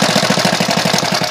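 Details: Alpha moped after new piston kit and cylinder head, timing marks set: idles and pulls fine, but a sharp, regular loud knock about seven times a second rides over the engine note; origin unknown.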